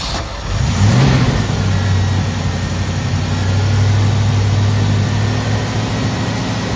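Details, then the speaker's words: 1979 Ford F150 Custom with the carburetor it came with and new starter solenoid: engine catches, revs briefly, then settles into an uneven sagging low idle stumbling toward a stall; owner suspects vacuum leaks from old cracked vacuum caps. "as you guys can see, it does run, but it does stall out. I believe the cause of that are some vacuum leaks back here."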